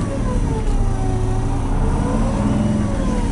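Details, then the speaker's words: 1966 GMC military troop-transport bus being revved with air pressure building: deep, smooth engine note rising and settling evenly, no knocks or misses; normal running. "that the air pressure out air pressure up it sounds good aunt it sounds real good"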